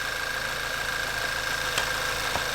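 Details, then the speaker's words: VW Mk6 GTI petrol engine after new APR ignition coils and NGK plugs one heat range colder, codes cleared: smooth, even idle with no stumbles, the earlier misfire from worn coils and old plugs gone. "let's start it up see how she doing sounds good she purs like a kitten"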